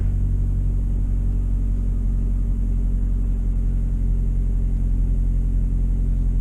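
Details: On a Suzuki SX4, after ignition coil replacement to fix choppy running and a misfire code, test drive: an even, smooth low rumble with no skipped beats; the engine fires cleanly, though a pending code later remains.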